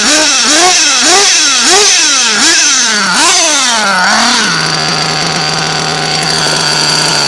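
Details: Modded nitro RC Nova engine, cold, before being leaned out: short rev blips falling back to a high, steady buzzing idle that sounds wet and burbly; running rich and not warming up.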